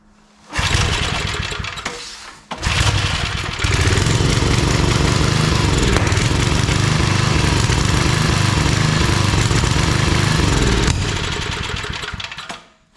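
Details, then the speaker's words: Old Briggs & Stratton 5 hp wood splitter engine after carb work, main jet adjusted a lot, choke seems to float; starts, stumbles, then speed rises and falls unevenly, surging. Owner suspects overly sensitive governor. "Yeah, she's making lots of noises. None of them sounding very good."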